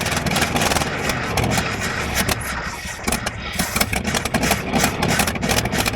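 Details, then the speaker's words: 1983 Chevy C20 V8 truck, unlicensed since about 2008–09, probably low on gas, cranked in neutral: catches and settles into lumpy, uneven rumble; it starts and keeps running. "well I guess at least we know it runs now"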